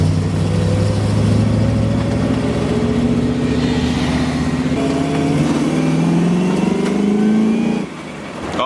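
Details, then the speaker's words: 1979 Chevy Camaro Z28 with a temporary 305 small-block V8, first drive after the oil pan was reshaped: smooth, deep rumble rising as it pulls away, no knock or tapping. Temperature about 200, oil pressure about 26; less kick than the 400. "definitely doesn't have the kick of the 400 but it is still fun"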